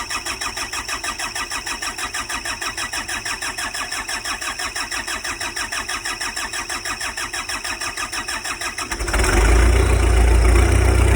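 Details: Cummins 3.3 (QSB) engine with about 4,500 hours, after new bearings and pistons, first start monitored with Insight: cranks, fires and settles into a steady, even chug near 200 beats a minute with no knocking, getting louder at the end.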